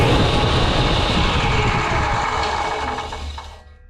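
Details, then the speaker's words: Table saw briefly bumped on and coasting down: a dry, slightly crunchy tick that slows with the blade; the owner suspects worn arbor bearings, not yet confirmed. "I think the bearings are going out. She sounds a little crunchy, so I think we should probably do some maintenance before we go and cut any of these pieces of wood."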